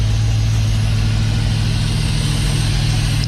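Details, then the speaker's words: Dodge Dakota R/T after swap to used 5.9L Magnum V8 from crashed Durango R/T, first run: deep even idle, smooth steady pulse, no ticks or knocks, oil pressure high, temps low; normal healthy idle. "This thing sounds good, you guys. Real good. Woo-wee. We might have a healthy motor, boys."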